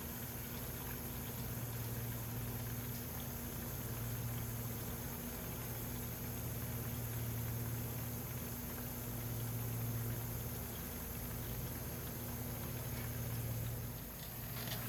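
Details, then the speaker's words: 1988 Lotus Esprit fuel tank being drained of bad fuel by running its own pump, car tilted with pickup at rear; steady low electric hum with gurgle that stutters every few seconds as the pump draws air near empty. "Every now and then you can hear the pump pick up a little bit of air, and you'll see the hose kind of convulse as it has air go through it."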